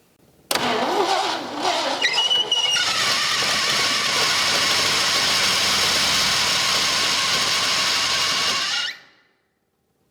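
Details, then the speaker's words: 1974 Ford F-100 4x4 big block, sat for decades and once submerged: after filling the dry power steering pump, a loud steady shriek over the idle as the belt slips on the seizing pump, which has a lot of bearing play. "so my thinking is is the power steering pump locking up did something happen when I put fluid in it to cause this it obviously it wasn't squealing like this before"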